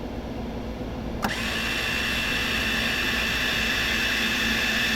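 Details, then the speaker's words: Second-hand MIG welder being tried for the first time: the wire feed motor spins up into a steady whine with a rhythmic surge about four times a second; the wire feed speed is pulsing, which is expected to cause welding problems. "you can hear it when it's running I got it coming out you can hear it like um pulsating or just it's the speed is changing which I think will cause a problem"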